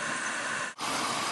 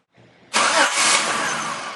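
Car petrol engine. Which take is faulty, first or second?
first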